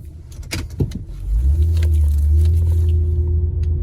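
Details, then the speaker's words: Honda real-time AWD (CR-V/Pilot-type) in a slow tight parking-lot K-turn after rear differential fluid service: smooth steady engine hum, previous groaning/binding from the rear now gone. "so we're gonna confirm that the noise is fixed so i'm in a parking lot [Music] and there you go no more noise it's a little k turn here"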